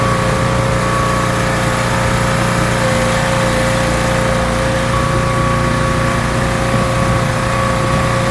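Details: Rebuilt pressure washer small engine with a known leaking manifold, cleaning a car wheel: steady, even drone with constant pump hum under full water flow, no misses or knocks; runs really well, normal running under load.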